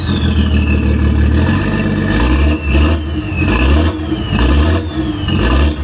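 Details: BMW X5 (off-road build) with gutted secondary cat, cut exhaust: idle stumbles roughly once a second, beat dropping out and surging back unevenly; misfire reported by previous owner, suspected injector, possibly DME-related.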